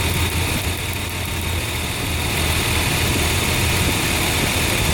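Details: Nissan engine misfiring with low power, high-tension wire leak being tested: loud, uneven, lumpy idle that stumbles now and then, like a missing cylinder; suspected ignition lead leak, not confirmed.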